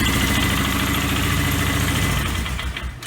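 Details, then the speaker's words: Polaris that wouldn't idle, after adjusting the ETC throttle free play to 1/16–1/8 inch; started on electric start without touching the throttle, the small engine idles steadily with an even, low putter, no stumbling. "she'll idle all day long like she's supposed to and life is going to be good"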